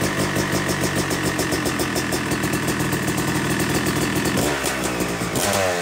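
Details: Yamaha YZ250 two-stroke (250cc/270cc) freshly rebuilt engine, second start after cooling, warming to about 100–125 degrees during break-in: crisp even idle, a few gentle blips near the end revving cleanly and settling; normal warm-up idle.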